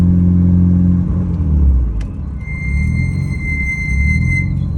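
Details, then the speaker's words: Mitsubishi Evo front brakes with track brake pads: thin, high squeal over road rumble while braking once hot, about 5 minutes into a drive; owner suspects the pad choice, not confirmed. "Like I said, we've been driving this thing around and the brakes are squealing like crazy. Once they get hot, I'm not sure if it's just the pads I chose or whatever, but once they get hot, they squeal so loud."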